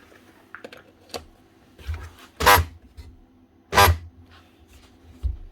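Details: Corded 240 V DeWalt DW331 Type 2 jigsaw, 2018: short harsh buzzing hum when switched on but the motor never runs up; likely seized or jammed rather than burnt out.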